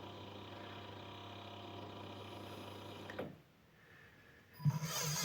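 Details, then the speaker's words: Whirlpool washing machine after repair of an F22 fault on the induction motor control board, on a rinse and spin cycle without water connected: drain pump or solenoid valve gives a steady low hum for about three seconds, then cuts off cleanly without grinding. "Voilà, là on entend la pompe de vidange ou l'électrovan pour laisser passer l'eau."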